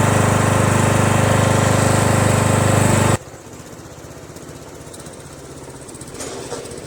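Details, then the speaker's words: Small single-cylinder mower engine, previously smoking after sitting on its side with oil in the muffler, restarted to check smoke: loud even beat about three to four per second for a few seconds, then drops away; no smoke, runs smoothly. "I recall that it was still somewhat smoking so I'm gonna start it up right now and see if it still smokes no parked in the backyard right up sounds good"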